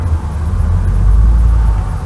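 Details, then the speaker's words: Slow, weak cranking of a 1968 Camaro V8 after it died on the road with temperature climbing: deep labouring rumble rising and sagging. Battery was fully charged; owners suspect low voltage from not charging while running MSD ignition and big electric fan. "It just sounds like it ain't got the. Yeah, here it sounds like just weak."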